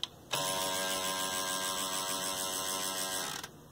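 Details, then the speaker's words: Sony TC-WR820A dual cassette deck, one transport: about three seconds of harsh buzzing motor grind that keeps straining without stopping; the cycling cam is jammed because of how the head block is positioned. "that's the sound of the cycling cam being jammed and the reason why it's jammed has to do with the placement of the heads"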